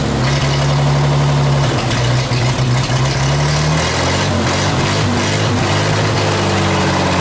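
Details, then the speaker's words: 1934 Chevrolet 1.5-ton truck, first run after about 70 years stored, following carb cleaning, sanded points, oiling, fresh gas and 6-volt battery: low, steady idle with no misses, knocks or hunting, no smoke, about 15 psi oil pressure; healthy. "started it can't believe it ain't even making any smoke I don't know what it was guys"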